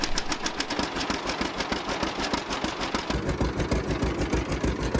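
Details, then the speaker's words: 1950 John Deere Model A barn-find tractor, first start after about six years sitting: steady, even two-cylinder popping about three beats a second, no misses or knocks; small exhaust leak between manifold and pipe. "I love bringing one back to life nothing better than this I'll move the camera around and show you some different shots here as it's running for the first time in many years"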